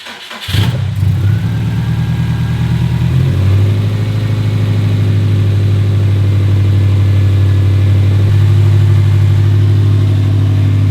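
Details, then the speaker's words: 2017 Subaru WRX STI (VA) 400 whp build, fixed, fresh oil after only a minute or two of running; fires right up into a smooth, deep, even idle fuller as it warms toward operating temp; healthy. "Let's get another start and see if we can get up to operating temp without any issues."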